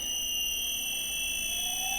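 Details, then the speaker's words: Control Techniques Commander C200 variable speed drive running autotune on a 0.18 kW 4-pole induction motor at 2/3 rated frequency: steady high electronic whine with clean tones, quieter toward the end; normal motor whine during autotune. "that happening it's running it at 2/3 of rated frequency at this stage can hear it getting quieter there towards the end so that's done the autot tune now"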